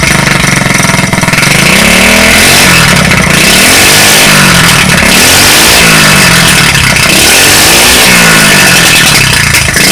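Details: Street-legal go kart's small single-cylinder engine, first run after sitting 5 years, with a new carburetor and a temporary push-mower fuel tank; runs steadily and picks up cleanly through repeated throttle blips, no misses or stumbles; normal running.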